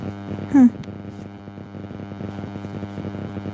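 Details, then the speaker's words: During a live embroidery-shop stream, a constant low buzz with a rich overtone stack runs under the audio. It is an electrical hum of unconfirmed source; the presenter suspects being close to the receiver. "there's a buzzing now does anyone else hear it buzzing it's weird"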